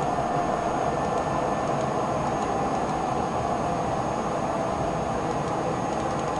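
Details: HP Pavilion Media Center (Photosmart) PC tower with fan speed manually lowered, now very quiet: soft, steady airflow hiss with a faint, unwavering high whine as the fans spin slowly; normal fan operation.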